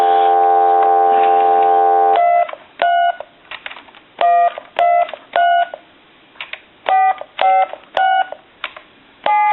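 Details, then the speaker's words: Original Spirit of St. Louis speakerphone after replacing the faulty tone generator IC: dial tone, then crisp, even touch-tone beeps about a quarter second each; tone dialing now works properly. "And I'm going to dial our numbers, but I'm doing this upside down."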